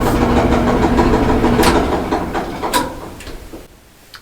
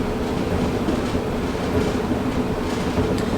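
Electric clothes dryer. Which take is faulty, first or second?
first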